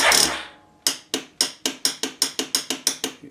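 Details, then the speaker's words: Yamaha 450 with 7-year-old battery still showing 12–13 V: one brief crank attempt then steady sharp clicking about four per second with no turnover, starts only occasionally; owner suspects weak battery can't hold solenoid in, not the solenoid. "to start, but now I'm getting a click. So you would think that that would be the solenoid."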